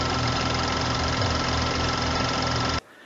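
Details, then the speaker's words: BMW F30 N55 with 84,000 miles at idle: light rattle and thin constant whine over the engine, traced to a worn drive belt tensioner that moves around while running; tensioner, pulley and belt to be replaced. "And it turns out that noise that I was hearing was actually coming from my tensioner."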